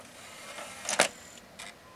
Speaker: quiet drive, but it works.